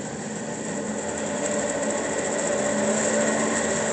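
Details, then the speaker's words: DoAll 16-inch vertical band saw, model 1612-1, running under power, sped up from low range: smooth, quiet even whir with no rattling or grinding, healthy operation. "Going to speed it up. You can hear very quiet, no rattling."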